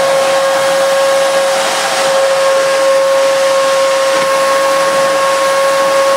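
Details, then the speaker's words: Miele S2111 vacuum cleaner whose fault was a broken solder joint. It now runs with a smooth, steady high-pitched motor whine and even airflow, no rattles or surging; it works very well. "gosh that sounds delightful it does work very very well actually that's not bad at all not bad at all"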